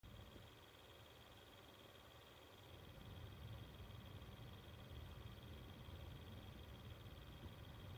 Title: Xbox one S fan noise buzzing sound